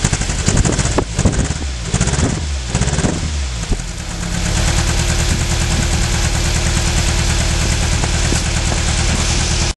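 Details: 1996 Nissan Almera 1.4 petrol engine starting and idling with a bad misfire: rough, stumbling, uneven lumpy beat.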